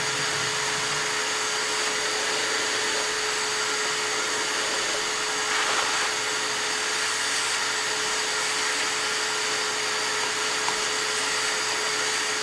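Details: Shop vacuum during Cockshutt 90 carb and manifold removal: steady thin whistle over rushing motor, unchanging pitch, choked off as when it is supposed to shut off.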